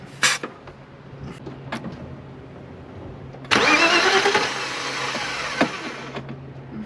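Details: 1993/94 BMW E36 325i with the M50 Vanos engine, cranking with the fuel feed line pulled off the rail. The starter spins the engine evenly but it never fires: crank, no-start. Fuel reaches the rail, so a spark issue is suspected.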